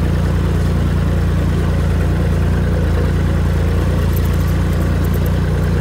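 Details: Tractor after fitting new Tractor Supply muffler with welded hanger support, replacing rotted-off one; steady low drone at working speed, no blatting bark, much quieter; normal running with new muffler.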